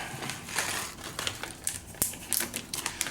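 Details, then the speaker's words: Boss ME-80 guitar multi-effects unit after soldering in a replacement TACT SKQK 6x6x5mm tactile switch: crisp, irregular clicks as each push switch is pressed in turn; one clicks louder than the others, all snapping cleanly. Normal tactile switch clicks. "let's make sure all of them click all these switches oh this one makes more noise then you almost makes more noise"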